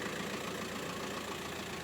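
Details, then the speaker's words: 2008 "T-shka" with a 1.9 75 kW diesel, heard at a used-car market: a quiet, even idle with a soft steady clatter and no knocking, extraneous noises or vibration; normal diesel idle. "видите как работает хорошо работает без волнения двигатель без всяких посторонних звуков стуков вибрации вот такой вот автомобиль вот так вот работает двигатель"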